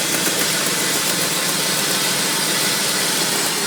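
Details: Mercedes G-Class just after start-up: a loud, steady metallic rattle over a hissy engine note that happens every start, cold or hot, for a minute or two and then goes away; its source is unidentified.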